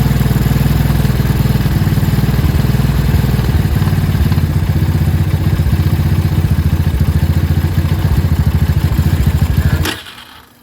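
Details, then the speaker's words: 125 or 250 cc motorcycle that had been stalling at idle, after the idle was turned up slightly: quick, even single-cylinder pulses holding steady, a clean idle in the 1500–2000 rpm range. "this one's idling perfectly now"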